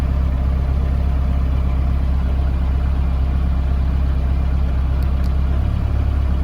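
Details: Mahindra Roxor turbo diesel cold-weather idle on a low-fuel warm-up tune before switching to the P2 tune: steady low diesel clatter at an even idle, smooth and regular with no knocks or misses; a healthy engine warming up.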